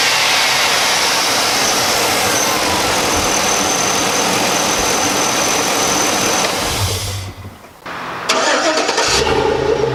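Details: 2004 Chevy Tahoe Z71 5.3-liter V8, recently bought, heard under the hood: fires up and runs a smooth, steady idle with an even note and no ticking, knocking or misfire; normal start and idle.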